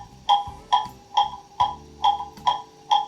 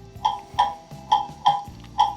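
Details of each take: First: you can hear it getting into beat and there it is that's in beat Second: Pendulum clock movement on test stand during beat setting: tick and tock unevenly spaced, one gap clearly longer; still out of beat.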